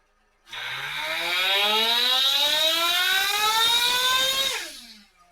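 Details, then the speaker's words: ProTek-RC .21 Samurai RM nitro engine on a dyno, 4th heat cycle, OS TB02 pipe, 75mm manifold, Nitro Pro JTP fuel: high steady buzzing rev falls cleanly to a smooth idle; running well, normal return to idle. "It's running really good right now, so just take a couple more pulls and shut her down and cool it down. Perfectly coming down to idle now."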